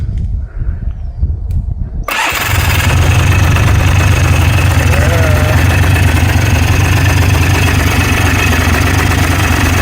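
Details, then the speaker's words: Scrapped 4-wheeler with a new starter and Bendix and a reseated flywheel, on its first start: a brief cranking whir, then the engine catches and settles into a steady, even idle with no misses or knocks, blowing blue smoke. Normal start. "That sounded good. I like seeing the blue smoke. That means it's got oil going to it."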